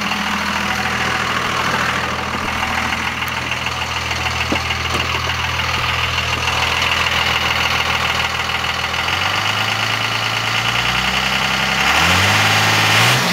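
Steady diesel idle with a fairly regular clatter, about three beats a second, over a hissy upper tone; an odd noise, cause unclear.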